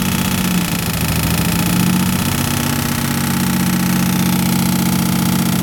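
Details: Engine running after a tune-up: loud, fast chattering pulse about three times a second over a rough droning note; abnormal engine noise, cause unclear.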